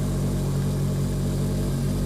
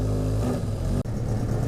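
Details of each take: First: 1981 Yamaha XS1100 Midnight Special, cold start on full choke with weak battery: steady low burble with even firing on all four cylinders, no misses; normal idle before heavy exhaust smoke builds, owner unsure if condensation, bad fuel or rings. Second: 1981 Yamaha XS1100 Midnight Special, cold on choke, heavy smoke of unknown cause: steady low drone; throttle blip barely lifts revs before sagging back; engine reluctant to rev.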